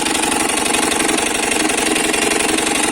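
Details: Italika DM200 motorcycle idling with busy metallic clatter, about four knocks a second; damaged crankshaft, bearings and crankcase suspected, fault likely in crankshaft bearing.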